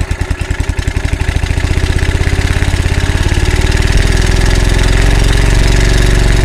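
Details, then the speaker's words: Early-1980s Generac S1500 portable generator, cold start on a cold windy day: sputtering pulses pick up to about 300 a minute as it catches on starting fluid; initial startup very hard, barely runs a drill press. "kept spraying it with the starting flu and we got it going now she's running H how about that nice little generator it will run my drill press but just barely but the initial startup is uh very hard o"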